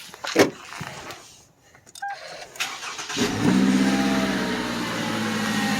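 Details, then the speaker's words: 2011–2016 Scion tC 2.5L 2AR-FE four-cylinder started with both drive belts removed: the whine is gone, leaving a steady, even idle, so the water pump is blamed and being replaced; normal idle. "pump and now it just sounds like a regular four cylinder"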